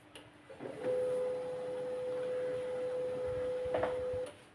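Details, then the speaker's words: Canon LBP 2900 laser printer with Scanner Error, power-on: a steady mid-pitched motor hum that quits after roughly three and a half seconds, so the startup cycle doesn't complete; the laser scanner motor is stuck. "Nói chung là lúc bật nguồn là mình nghe thấy tiếng kêu là khởi động mình cảm giác thì chưa xong rồi đó thì đó là nguyên nhân đấy các bạn"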